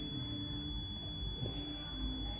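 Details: Multimeter continuity test of a replacement 3-pin KCD1-101 rocker switch on a gooseneck desk lamp: a steady high beep with the switch on shows the chosen pins close properly. Normal continuity beep.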